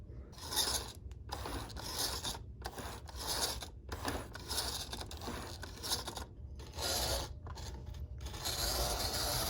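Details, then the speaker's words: Used model-train locomotive (Rock Island one) from a bulk lot, nudged along the track to get it going: a scratchy, uneven motor rasp that keeps cutting out and picking up again. It runs rough but keeps moving. "well it's pretty rough but it just goes to show you use that little technique you just keep them moving"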